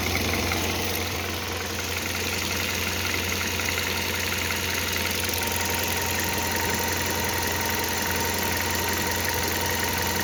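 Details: Hyundai Solaris 1.6 at fully warm idle; a faint, fairly regular higher-pitched tick or rattle sits over the hum, an abnormal engine noise of unclear source.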